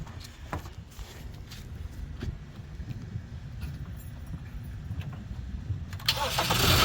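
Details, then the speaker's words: 2015 Kia Optima after starter replacement: quiet rattle, then a brief crank and it catches at once into a strong, even run; the engine now starts successfully. "oh yeah there we go successes that sound better"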